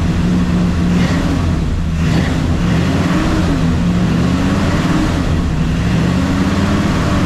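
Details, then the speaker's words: Chevelle V8 first start after finishing rebuild with new cam kit, lifters and double roller timing chain: loud, lumpy rumble rising and falling with small throttle blips, no knocking or ticking; normal running. "holy [ __ ] she's alive [ __ ] look at this man it works Daisy it works"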